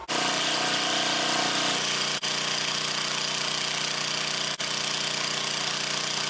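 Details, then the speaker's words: Vintage scrapyard generator, late 70s/early 80s guessed, after shortening governor spring hook: steady high drone dipping and recovering twice, slight governor hunting; owner thinks carb clean needed, carb base gasket leaks fuel. "She's a little uppy-downy, but she could probably use a carb clean."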